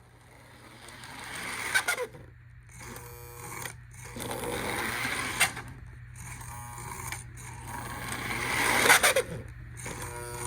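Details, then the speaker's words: Lionel model train armature motor whirs and clatters over track joints with a thin rising squeal; dry motor bearings/gears needing a little oil in the reservoir and on the armature shaft. "If you're getting a squealing noise from your engine, most likely the armature motor needs to be oiled."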